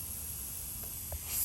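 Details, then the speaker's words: 2013 Fiat Abarth boost leak test after installing an upgraded intercooler: sharp airy hiss as the intake is pressurised, from the boost gauge line rubbed through by the belt; all other clamps and joints hold. "so we have an actual boost leak here so everything else is looking great no air is coming out because you'd hear it really easy"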